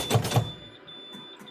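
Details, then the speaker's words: Non-CDL box truck air brake test, engine off, pedal pumped down past the 60 PSI low-air warning: two quick heavy thumps as the parking brake knob pops out over a faint high warning tone; spring brakes set properly at low air. "handle pop out. That set my brake for me, letting me know that this vehicle is coming to a stop real soon."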